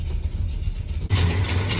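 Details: 1976 Dodge Dart Swinger 340 V8 before tuning, small hole in the bottom left unwelded: even idle burble, then a clean throttle blip with no ticking or puffing from the manifolds; sounds healthy.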